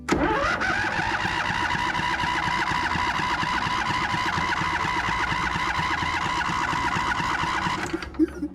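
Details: Craftsman ZTS 7500 50-inch zero-turn mower with a fuel-shutoff carb solenoid, cranking after a weak battery was swapped for one reading over 12 volts. Fast, steady cranking with even pulses for about eight seconds, no slowing or dragging; battery and starter healthy.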